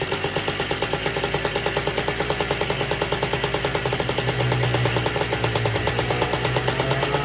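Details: Two-stroke ATC three-wheeler, seized half an hour earlier and freed with plenty of top-end lubricant, smoking heavily: crisp, even popping at a steady fast idle with no misses or knocks. Running clean.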